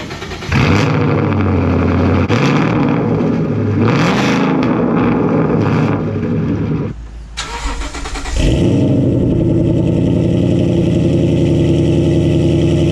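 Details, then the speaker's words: 2014 Mustang GT Coyote V8, first cold start after swapping a full straight pipe for GT500 quad-tip mufflers and over-axle pipes: catches, revs, dips, then settles into a deep, even, drone-free rumble; a much tamer, healthy cold start. "all right so as you guys can hear it's a whole lot more tame and I can actually talk to you guys behind the car"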